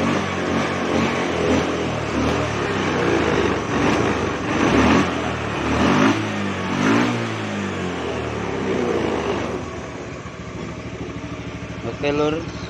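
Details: Fuel-injected motorcycle that stumbled on initial throttle, run with the fuel pump bypassed on an external feed at about 40–43 psi; throttle blips rise and fall cleanly without bog, settling to an even idle, pointing to a weak fuel pump or its regulator.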